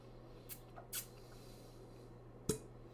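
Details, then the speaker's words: Clarinet top-joint suction test, holes covered as for low C and bottom sealed with the palm: sharp little pops as fingers lift under suction, showing the pads seal properly. "hear that that popping sound means there is a seal so everything is working well on this"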